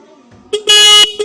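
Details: 12-volt vehicle horn after repair by adjusting the contact screw: a short blip, then a full, steady buzzing honk about a third of a second long and a brief toot; horn sounds properly.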